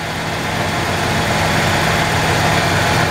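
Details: 1994 Ford F-150, 265K-mile motor, ignition issues corrected, IAC replaced, rail pressure good; steady idle with slight uneven surge under dull rumble, loping idle from a suspected lean condition.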